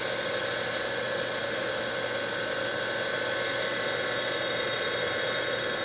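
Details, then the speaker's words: DC motor removed from electric vehicle conversion, bench-run on 12 V battery at roughly 3,000 rpm: constant high whine with internal fan rush, no grinding or ticking; normal motor running. "spins up nice nice and smooth take the load off it's back up to 12.4 so good battery so that's what she sounds like it's probably 3,000 RPMs for getting close to"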